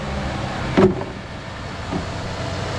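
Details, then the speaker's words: Saturn Aura, GM 3.5L V6, no-crank fixed by starter replacement: short crank catches quickly and settles into a steady, even low idle with no knocks or misses; normal start and idle. "here goes nothing how it lives we have created life again"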